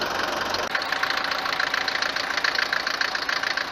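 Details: Mercedes W124 190 D four-cylinder diesel idling on a morning start: hard, sharp clatter about 214 per minute, much louder than a normal tick. Suspected causes are a worn cylinder or piston, the injectors (already replaced) or injection pump timing; unconfirmed.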